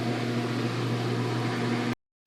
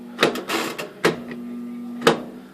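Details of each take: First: Kenmore 300 Series washer, about 8 years old, on the drain/spin cycle after fixing a no-drain fault with the tub full of water: steady, even drain pump hum with no grinding or rattling, now draining normally. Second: Kenmore 300 Series washer, about 8 years old, heavy use, full of water and leaking: steady low hum with clicks and knocks when switched on, drain pump blocked and not draining.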